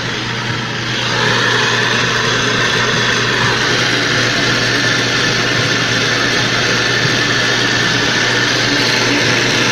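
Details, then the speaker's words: Magic Chef Performa washer (same mechanism as Maytag Performa), loud noise when starting to wash: steady rough grinding roar over a low hum; the drain pump bearing is damaged, wetted by leaking water from wear, and the pump must be replaced. "El problema está en el valero de la bomba del agua. Ese es el detalle, es la falla que tiene. Está dañado el valero, por lo tanto se tiene que reemplazar porque esas bombas ya no tienen arreglo."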